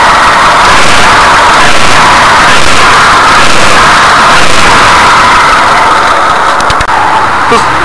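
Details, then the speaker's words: VAZ 2104 classic engine at idle: steady metallic chattering rattle pulsing about once a second, slack timing chain; if tensioning doesn't help, the chain damper has likely broken off and needs replacing. "вы услышали такой звук то значит у вас расслаблена цепь Попробуйте натянуть сначала цепь"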